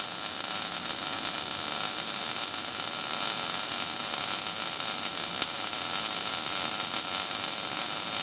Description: This video is an introduction to the Gas Metal Arc Welding (GMAW, MIG) process.